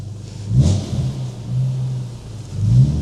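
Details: BMW E36 M3, dry stored and off the road for five years, with a non-stock aftermarket exhaust; deep clean rumble that swells smoothly on each throttle blip and settles back: normal engine rev.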